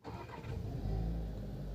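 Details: VW Virtus push-button restart with the brake applied; it previously would only toggle ignition and not start, possibly from sitting long or battery drain. Short crank, clean catch, steady even idle. Normal start.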